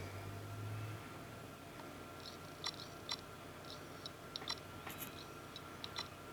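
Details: Seagate Barracuda 3TB hard drive in an external SATA-to-USB enclosure that no longer fires up; irregular sharp clicks over a faint whir as it cycles for about 10 seconds, then shuts off, failing.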